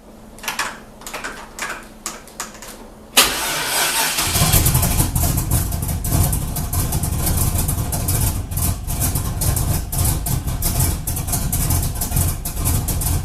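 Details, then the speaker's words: Junkyard 2000 Camaro, 5.3 LS turbocharged, 1000cc injectors, on jump box, trans line leaking, first start after fuel system wiring: cranking ticks, catches into loud uneven lumpy run never settling; air-fuel about 8.17, very rich mixture suspected. "8.17 is that what it is yeah that's so rich i bet it's richer than that oh oh"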